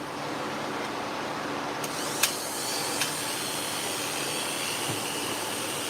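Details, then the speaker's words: Dog-grooming clipper with freshly sharpened blade on test: thin steady high buzz with faint rattle, noisy because the blade drive socket is too loose; socket to be squeezed tighter to quiet it. "That's a little noisy, so I'm going to adjust the socket a little bit. Just give it a little squeeze. It should be quieter now."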